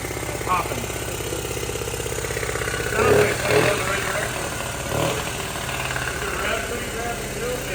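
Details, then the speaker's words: 1979 Honda Z50R chopper mini bike found stored among snowmobiles, just kicked over; the small single thumps unevenly with sharp pops. They suspect popping from the intake; valve adjustment also considered. "all right I don't sound so good to me these are bad for uh yeah I'm wondering if it's coming out a uh intake that popping"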